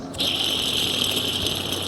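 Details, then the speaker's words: Jeep Cherokee (Liberty in US) idler pulley, removed and spun by hand: gritty metallic rattle and ringing hiss as it coasts, a worn bearing. It caused a whine on acceleration that was first blamed on the alternator pulley bearing. "that does not sound happy at all so let's get this one change down and we should be good to go"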